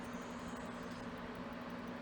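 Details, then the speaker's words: Xbox Series S repaired for slow fan speed and overheating shutdowns: soft, steady whir with no rattle, the fan deliberately set slightly faster than normal at the customer's request, so a little louder. "he choose the fan to be high speed like a little bit more than normal. So I say it will be a little bit that noise"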